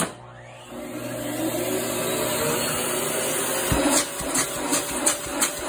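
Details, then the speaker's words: Black and Decker bagless canister vacuum with a soft-start motor and double telescoping wand, no power nozzle: motor whine ramps up gently and settles into a steady roar, then handling clicks. Normal soft-start spin-up. "It also originally would have come with a crevice tool and a dusting brush, which I don't have for the machine, but I'll demonstrate its power. It has a soft start motor."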